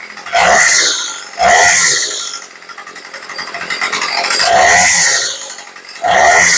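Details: Craftsman 2-stroke weed eater after carb rebuild and leaning the L screw slightly: crisp buzzing idle snapping cleanly to full revs and dropping back smoothly; normal idle and revving.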